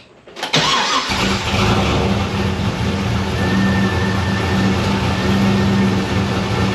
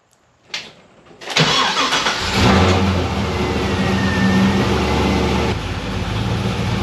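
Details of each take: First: Pontiac GTO with MAF sensor deleted from tune and a new homemade intake, throttle body opened a bit more: catches and settles into even steady idle, no stumble; seemed starved for air before, not a fuel issue; now runs normally. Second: Pontiac GTO with a new DIY intake and the MAF sensor deleted from the tune: after a short crank the engine catches unevenly, stumbling and sputtering before settling. Owner suspected air or fuel starvation; opening the throttle body more smoothed it, suggesting air starvation, not fuel.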